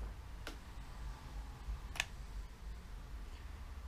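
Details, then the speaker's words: Vintage Yamaha amplifier that previously would not come out of protection, after its controls and switches were treated with contact cleaner: two crisp clicks about 1.5 s apart over a quiet hum at power-on; normal protection relay engagement. "the big issue was that it did not come out of protection and now when we turn it on we hear two definite clicking let's hear that again"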